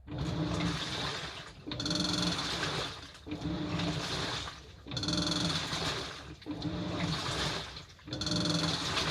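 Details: Household washing machine with a light metallic rattle on each drum surge, about every one and a half seconds. A 10-yen coin rattling in the drum later came out through the drain pipe.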